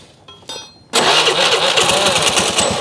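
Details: Suzuki Nex scooter after start-up: harsh scraping grind over the engine, like something dragging on a spinning part; an overlong bolt rubbing inside the CVT, left by an earlier repair.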